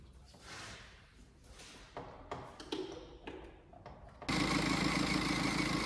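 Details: BMW X5 at idle, squeal that appeared in the belt area after a trip to Munich: steady high squeal over the idle; owner suspects a belt pulley, hopefully the tensioner pulley.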